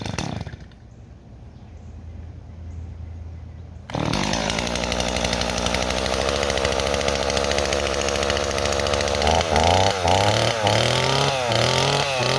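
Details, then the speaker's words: Stihl 026 chainsaw that had caught fire: a rough, burbling two-stroke idle that wavers and blips unevenly, never clearing. Running a little rich and bogs in wood. "okay neighbors our sauce running a little rich but the problem is it Bob's in wood"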